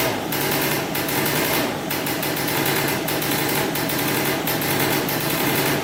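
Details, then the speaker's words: 2003 Polaris Sportsman 90cc two-stroke ATV right after top-end rebuild and new oil pump, premix 40:1 for break-in; starts right up, quick crisp buzz holding steady with slight wavering; normal idle. "she runs that's good we have to make sure now the pump is working and uh we should be good to go yeah started right up"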